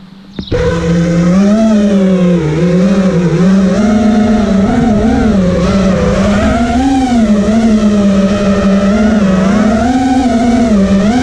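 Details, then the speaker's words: Quad with T-Motor F80 2500kv motors (owner says one bearing is bad), motor timing set to high, regular PIDs: motor whine wavers in pitch while hovering. Oscillation is much less but still present; motor heat moderate and even, 15.3 V after 2:29 run. "I don't think there's any one motor that's more warm than any other in the others it's a lot less oscillation this time I wouldn't say there was none"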